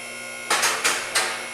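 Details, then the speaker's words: Shop lift raising a 1967 Ford Mustang 302 with C-4 transmission slipping in forward: three or four sharp separate clicks within a second over steady motor hum; safety locks catching one by one, set to be counted deliberately, normal. "If you get them all hitting at the same time, if you have a failure with one or something, one of them gets messed up, you won't hear that click. So I like the click, click, click, click."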